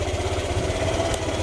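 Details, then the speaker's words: Yamaha YTX 125 single-cylinder motorcycle, normally fitted with a sidecar, idling after misfire was fixed; steady even low thumping, no stumbles; idles cleanly but still won't move in gear, clutch suspected. "So ayan guys ah. Okay na yung andar niya. So wala na siyang palya pero ganun pa rin ayaw umusad."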